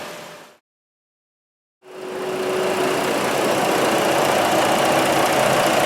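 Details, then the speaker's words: Jeep Liberty 3.7L V6 with a rough, uneven idle and a steady stumble about four a second, a single-cylinder miss after reconnecting the throttle control connector; needs a new ignition coil. "Well, it feels like a single cylinder miss now. So it should rev up. Needs a coil. We got to put a coil on it."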